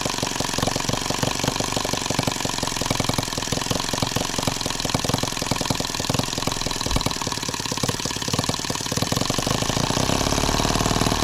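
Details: Microcosm H76 small flat-laid water-cooled model engine, first start fresh out of box, throttle cracked open from idle: crisp, rapid even firing that picks up smoothly, running clean and healthy.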